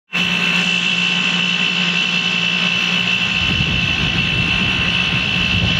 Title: pretty noisy 2015 carrier 5 ton ac unit running